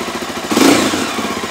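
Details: Stels GT 400 started after repair: short crisp blip of revs rising and settling back smoothly, no knocks or rattles; the engine runs healthy.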